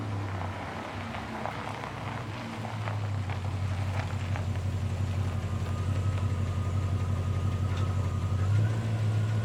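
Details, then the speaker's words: 1989 Dodge D200 V8 on road test after camshaft bearing work and oil pressure fix, timing 35° total advance at 2800 rpm: steady drone rising smoothly with speed, no knocks or misses; transmission shifting and oil pressure good, normal running. "transmission shifting good oil pressure is good"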